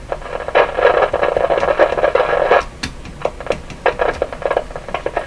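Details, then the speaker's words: Westinghouse 981X shortwave receiver being diagnosed: irregular crackles and pops burst through the hiss when a tube is wiggled. This is intermittent static, possibly poor tube contact; cause not confirmed. "Sound like something frying? Whoa. What was that? Something burning out. Let's wiggle a few tubes here. So the one I started wiggling and all that static started."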